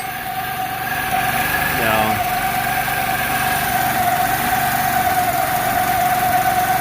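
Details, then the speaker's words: Small scooter idling after a new clutch was installed and the idle screw readjusted, enricher coming off: steady idle with a faint unevenness in the beat, a little rough but idling. "that's a pretty good idol i mean it's a little rough but it is idling"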